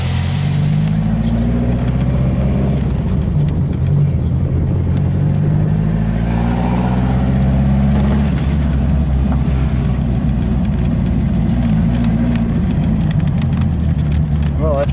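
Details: MGB special four-cylinder after tuning, running through a few gentle rev rises without misfire or stumble. The engine is running well and feels better than before.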